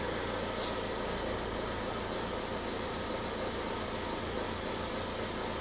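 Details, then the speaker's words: 2007 Ford Transit Connect 1.8 diesel, just started after an oil and filter change and left at tick-over without revving: steady, even diesel clatter with no knocks or misses. Oil light went straight out; the engine idles normally. "Oil pressure light went straight out, so that's a good sign. It all sounds good. And that's all it needs."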